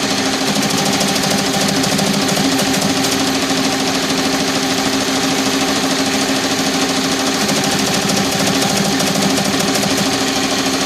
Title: TAJIMA TFMX C1501 making rattling sound